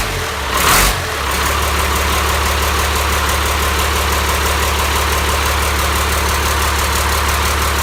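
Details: Cummins 5.9 12-valve diesel on an engine stand, first start-up after jumping a wire to crank: starter whirr, catches, settles into a steady even low idle with no knocks; normal diesel idle.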